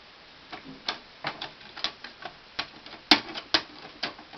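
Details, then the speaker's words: 2005 Symphonic VCR/DVD combo after eating a tape (tape wrapped around the mechanism): irregular light ticking and clicking, about two per second, with nothing catching; deck no longer works and refuses the cassette. "but now I don't think this works anymore"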